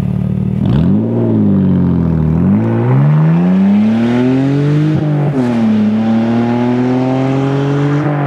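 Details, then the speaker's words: BMW E46 325i sport wagon with stock exhaust, only catalytic converters left (mufflers and resonator removed): loud, raw exhaust bark through several revs, lots of rasp; sounds unrefined, resonator going back in. "right well in the video it's obviously louder but in person it sounds unrefined and well shitty so the resonator is going back in"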